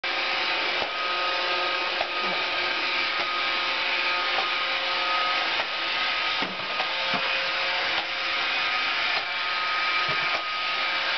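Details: Roomba 570 robot vacuum: steady high motor whir with a clunk about every 1.2 seconds from hair packed into the gearbox; after the gearbox heats up it refuses to run until the hair is cleaned out.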